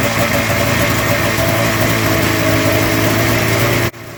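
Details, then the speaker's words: Polaris snowmobile two-stroke during fuel and spark troubleshooting after a new fuel pump, with spark confirmed and plugs only hand tight. Steady buzzing fast idle with an even note, then a clean cutoff; oddly it ran better with only one carb connected. "It ran better with only one carb. Good God. That's weird."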